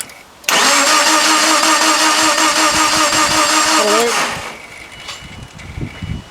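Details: Subaru Impreza crank-no-start, second day of diagnosis, meter on AC volts checking crank sensor output during cranking: steady starter whirring about three and a half seconds, engine never catches; cranks, no start.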